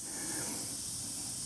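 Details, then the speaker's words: Oryx electric unicycle tubeless off-road tire after about 1,200 miles, with a thorn stuck between the knobs. Steady soft hiss of escaping air at good pressure with no rhythm; air leaking from a puncture in the tread. "Not that big. And can you hear the air? It's coming out nice pressure."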